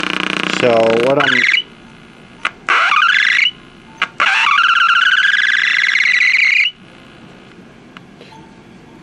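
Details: Packard Bell 35 tube AM radio, after confirming capacitor plates not shorting and removing an unschematic mica cap: loud whistling squeals sweep up and hold, broken by bursts and pops; still oscillating, cause not pinned down, IF alignment planned.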